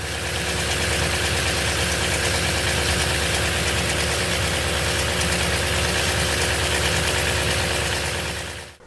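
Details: 2016 Toyota Tundra 3UR-FE V8, original complaint: busy metallic clatter about three beats a second over steady running from the front of the engine; ticking timing chain attributed to faulty timing chain tensioner.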